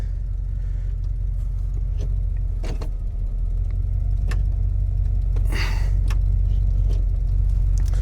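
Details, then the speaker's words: 1978/79 Chevy K20 4WD with a V8 and automatic, sat about 15 years, running on old gas and a bit cold-blooded. A steady low V8 idle rumble holds even, with a few clicks and clatters around it. Normal idle, no stumble. "let it run the entire time I was working on it last night. Just let it sit in idle, and it never ran out of gas. So, it is definitely running on old gas."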